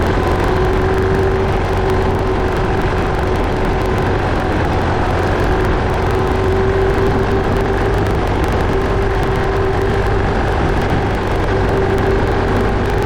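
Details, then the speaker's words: Case 188D diesel tractor: it holds a steady, even clatter at constant speed with no misses, knocks or hunting; oil pressure and water temperature are good, so it runs healthy. "thank you it's alive it's alive it runs it runs it runs good everything sounds good everything's working good"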